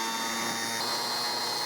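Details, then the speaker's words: Car starter from 2001, apparently modified, bench-tested on 12 V battery with jumper cables, pressed against a wood block as load: high steady whir with scraping hiss, speed holding; healthy starter under load. "everything is going well so far it's is okay despite everything this St works really"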